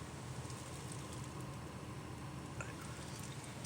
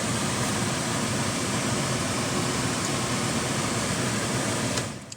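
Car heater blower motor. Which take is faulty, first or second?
second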